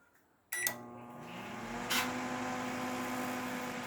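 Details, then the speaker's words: LG microwave running after lubricating the fan that made loud noise: starts with a click, smooth steady hum, no rattle or scraping; fan not replaced. "Ó o ventilador rodando suavemente, tá bom?"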